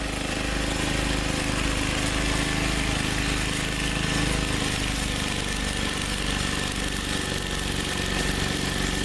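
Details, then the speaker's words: 1989 MTD 524 snowblower with a 5 hp engine, warm and set near 3500 rpm, after impeller kit, carb rebuild, valve job and gearbox rebuild, throwing heavy old snow: steady, even drone with no misses or knocks; normal running under load. "you can see it throws very good with the impeller hit a little 5 horse engine that's a heavy load it's heavy Sooey old snow and it was throwing it really well"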